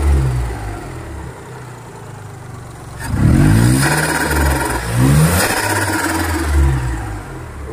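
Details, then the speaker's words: Perodua Kancil engine after new wiring and replacing the weak, shorted original fuel pump with an original Denso pump: a quiet idle, then two clean throttle blips that rise and fall smoothly without stumbling or misfire. It revs normally. "Okay, wiring kita dah buat. Okay, dah hidup, cantik. Fuel pump kita dah tukar."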